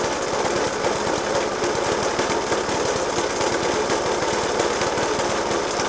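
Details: Suffolk Punch 30S mower, 1991 era, Dellorto FCH 20 carb; after new spark plug, decoke and carb clean, still rapid hard irregular jackhammer-like banging over the idle that never smooths out; cause not pinned down.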